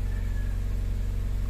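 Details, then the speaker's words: 2010 Mazda CX-5 with shorted wiring and all dash indicator lights on, one fuse found bad: after starting, the indicators stay lit. Steady low drone with quick, even pulsing faster than normal, a high idle. "Tapos mataas ang minor. Tigas naman ni Bella, hindi maikot, oh. Hindi maikot. Mataas ang minor."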